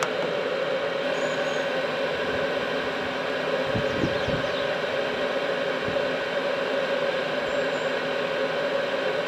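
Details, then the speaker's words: Cheap Chinese eBay diesel night heater, fuel filter previously replaced, cooling down after shutdown while still very hot; fan keeps running, glow plug comes back on: soft even fan whir with steady low hum, no knocks or rattles; normal cool-down. "t's now just cooling down it's still very hot the fan will keep going for some time just to make sure everything really has cooled down"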